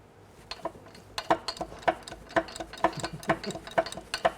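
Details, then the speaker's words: 1983 Mercedes OM617 five-cylinder turbo diesel with catastrophic failure, crank rocked rapidly by wrench with cylinder head removed: sharp metallic clunks about twice a second from number 3 connecting rod play, a blown rod knock. "Okay, now I'm going to move it real rapidly so we can hear the clunking."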